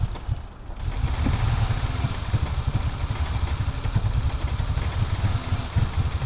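A cold six-cylinder engine idles roughly, its low thrum broken by uneven stumbles and lumpy pulses.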